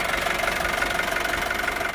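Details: Isuzu D-Max 2.5 TD diesel, 2021 model, 48,000 km: even, quick idle clatter with steady rhythm and no missing beats or heavy knock; healthy-sounding idle.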